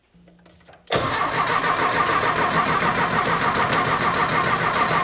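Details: Rebuilt 1600cc dual-port VW engine in a dune buggy, first start; short crank catches and settles into a steady, busy run but won't hold idle on its own; owner suspects carburetor or fittings need work; poor idle.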